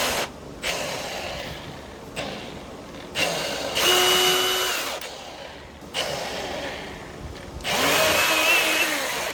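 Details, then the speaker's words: Milwaukee M18 FSAGV100XB 18V variable-speed grinder after bearing replacement, run on original battery at lowest speed: several short spin-ups with a harsh, loud whirring rasp. Replacement bearing is unsuitable and too noisy. "Das Geräusch ist zu laut. Dies repräsentiert, Lager sind nicht geeignet."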